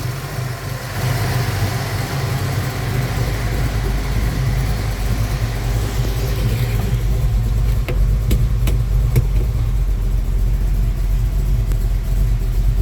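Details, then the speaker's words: Ford Falcon 302 V8 with base timing set to 21° at idle, idling in Drive under torque converter load: deep, steady V8 idle with an even beat, rpm not dropping; running smoothly. "perfect absolutely perfect the engine RPM doesn't even dropped um when we put into drive so we got some St converter load on that engine"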